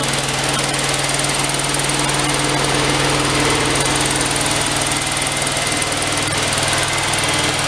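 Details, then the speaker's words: Neglected VW Karmann Ghia air-cooled engine on a lift, first attempts to get it running; rough buzzy idle with a steady deep internal knock about four times a second, source unknown, owner may tear engine down to find it. "I think she's just a poor engine at some point we may tear it down and try to find out what that noise is"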